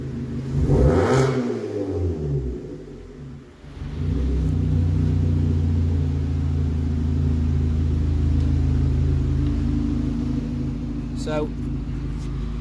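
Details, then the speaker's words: Vauxhall/Opel Insignia after a head gasket replacement, warmed up with water temperature about 89°C and excess water burned off the exhaust: it picks up cleanly on a light rev blip and returns to an even, steady idle. Healthy. "we've got to leave it running a little bit because all the excess my water and that in the exhaust needed to burn its way off but now Jack does show up ah give a little raft"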